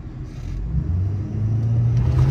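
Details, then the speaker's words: 6.7 Powerstroke diesel after complete CP4 fuel system replacement, low fuel in tank, driven about 20 minutes, full-throttle quarter-mile test: deep rumble climbs smoothly with no miss, knock or stumble; healthy pull, running great. "all right we got her all together she's running great been driving for about 20 minutes we're gonna give her a rip here where we always do our little quarter mile test run here"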